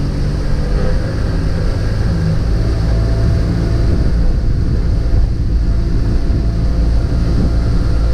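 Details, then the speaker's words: Mercury 50 hp three-cylinder outboard on a pontoon boat, after a rough idle and stalling fix, in neutral following a run above 4,000 rpm: deep, steady thrum with no misses. All three cylinders are firing; the fault was possibly a spark plug wire. "sounds solid yeah sounds like all three are running yeah"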